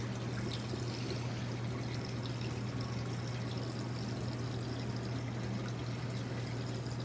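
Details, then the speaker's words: Magic Chef 1.6 cu ft portable washing machine draining through its hose: steady fast rush of water over an even low pump hum; normal quick drain. "This is the drain. It's pretty nasty, sorry guys. It drains very fast."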